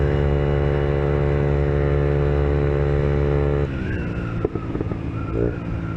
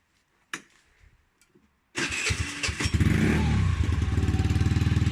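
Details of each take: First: Peugeot Kisbee four-stroke 50cc scooter, warmed up, with newly fitted aftermarket GY6-style performance exhaust: steady single-cylinder drone, then sharp pops on closing throttle; backfire indicates carburetor needs adjusting. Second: Peugeot Kisbee four-stroke scooter after fitting an aftermarket GY6-style performance exhaust: starter whirr, then an even, warmed-up idle with a crisp, slightly loud exhaust; sounds healthy.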